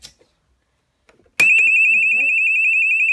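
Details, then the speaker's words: Fire alarm sounder on a homemade setup (JSB FX2204 system test with MB fire alarms), wired by flex to its own sounder circuit rather than a proper panel: a sudden piercing, fast steady warble, very loud even at minimum volume. The sounder is operating normally. "Really loud, this sounder. That's on minimum volume as well. That thing is really loud, too loud."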